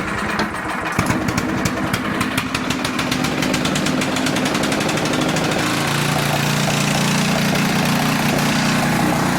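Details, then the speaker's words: Older Tecumseh 10 hp engine on a 4,000 W generator, running about 62.4 Hz under a 1500 W load: even pops, then a steady drone that holds speed without dipping. Sounds healthy. "It's running smooth. Usually, it'll dip down a little. It did not budge one bit."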